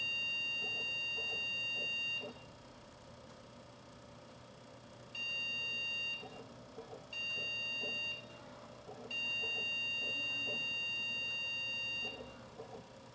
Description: When the computer sends 2 short beeps and 1 long beep repeated 5 consecutive times, the cause most likely refers to a problem with the video card!